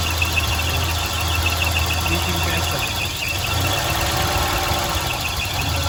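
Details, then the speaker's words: Volvo 240/740/940 petrol engine hard to start, idling with an uneven, lumpy throb that dips and catches, shaking hard; a visible gasoline leak from the fuel pressure regulator is named as the cause, regulator to be replaced. "I'm going to show the bad fuel regulator is leaking gasoline cause the engine shaking very hard to start."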